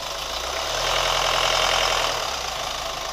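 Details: New Chevy Colorado at idle: fast, fairly even light ticking about four per second over a steady hum; source unknown; engine ticking at idle.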